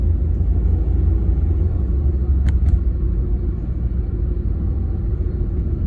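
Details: BMW E36 with 220k miles, driving; heavy throbbing low rumble swelling and fading from a bad driveshaft center support bearing, noise gone after replacement.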